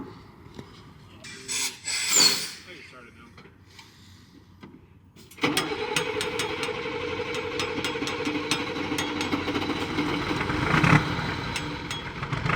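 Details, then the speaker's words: 1985 Mercedes-Benz Unimog diesel, cold start after an engine replacement: after some fumbling, it catches at once and settles into a steady clattering idle. A healthy, normal cold start. "Cold start. You ready for the cold start of your life? Let's hear it."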